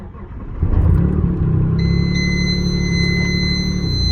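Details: Stealth cold start at about -12° after cranking first, then starting fluid: it catches after a brief crank and settles into a steady, even low rumble with no knocks or misses. Thick oil, good oil pressure. A healthy cold start.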